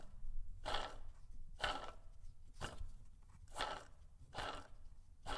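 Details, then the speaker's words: 1986 Porsche 944, water pump pulley spun by hand with the engine apart: a rough, gritty grind about once a second, like gravel inside, with serious play in the bearing; the water pump bearing has failed and the pump must be replaced. "I hope you guys could hear that okay but it sounds like there's just straight gravel in that water pump I'm not sure how much longer that thing would have held on"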